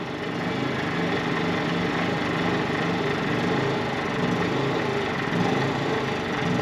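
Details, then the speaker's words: WEN 56235i inverter generator in eco mode with no load, on 0% ethanol fuel, heard from 10 ft at about 69–70 dB: a steady, even drone with no knocks; it hunts slightly without load, which is normal. "it does hunt a little bit I've noticed um this is 0% ethanol fuel that I'm running in here I I think it's just without a load it's going to hunt just a little bit"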